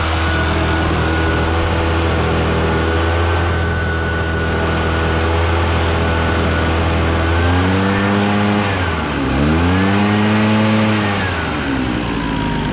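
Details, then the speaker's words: Barn-find Echo PB650 two-stroke backpack blower, stored 2–5+ years, old gas drained and fresh fuel added, clearing a roof under load: steady high drone, throttles up and down cleanly with no stumbling; running normally and healthy. "so it's working pretty dang good"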